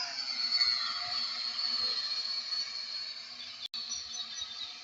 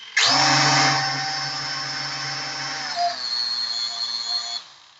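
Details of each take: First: P8 Pro drone after calibration, hovering: high, steady buzzing whine at an even pitch; the rotors sound healthy and balanced and the drone flies well. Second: P8 Pro foldable camera drone: one motor sounds odd after racing it. A high whine spins up sharply, then settles into an uneven buzzing whine before cutting out; the motor is to be replaced.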